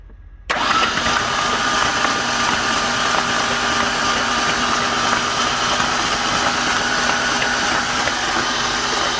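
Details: Ford Ranger engine hydrolocked with oil after the truck went on its side in a ditch: spark plugs out, ignition and fuel pump relay disabled, fast even starter whirr with no compression pulses, cranking to push oil from the cylinders.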